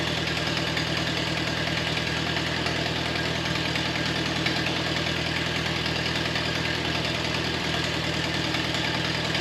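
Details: 1953 Ferguson TO20 antique tractor, warm after being driven out of the shed, idling on a rebuilt Marvel Schebler carburetor fed from an auxiliary test tank: steady, even low putter with no stumbles or knocks; oil pressure about 10–12 psi, ammeter reading oddly high.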